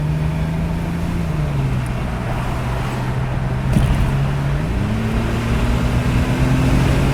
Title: Test run after vacuum leak/clogage